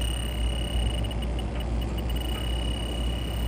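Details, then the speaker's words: Rooftop AC unit with low refrigerant: an electronic leak detector gives a steady high tone with stacking shrill chirps over a faint hum. It picks up a very small amount, while the leak source is traced into the coils. "So even though I'm picking up refrigerant here, it's very small amount."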